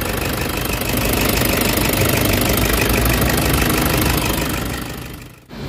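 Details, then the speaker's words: Toyota Hiace Commuter diesel revving with fast metallic ticking, three or four a second, over the clatter, cricket-like and sharper on acceleration, loudest intake side near number 2 cylinder; suspected metal scraping, black smoke noted. "So lalo na pag ina-accelerate mo, yung parang kuliglig na parang fuel knock na matining. So ibig sabihin bakal yun guys, na yun ang problema."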